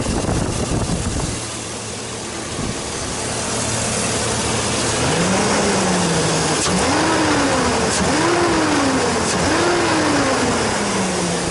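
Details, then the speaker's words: Chevrolet Silverado V8, warm, misfiring only at idle below about 600 rpm, Picoscope secondary ignition normal on all cylinders: uneven, loping idle with occasional stumble; intermittent misfire at idle, cause not found. "everyone shows beautiful burn time but I'm definitely missing missing one cylinder it's just not it's not it's not running smooth"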